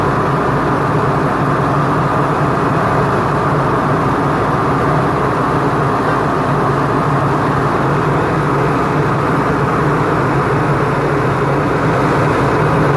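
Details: Isuzu FEZ280 six-cylinder diesel truck after its temperature clutch fan was refilled with oil; constant idle under a strong, even fan roar, no surging or knocking, fan clutch gripping; normal idle with fan engaged.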